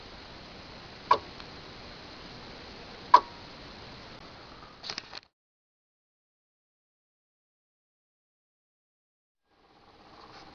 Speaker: You can hear the relay click on and off as I turn the power on and off to the layout.